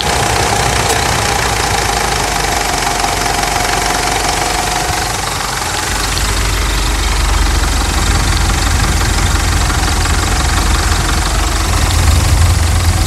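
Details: Mitsubishi Triton 3.2 diesel at idle after decarbonization, fuel tank cleaning, air filter cleaning, and fresh Repsol oil and filters: even clatter holding steady with no stumbles or odd knocks; engine running healthy.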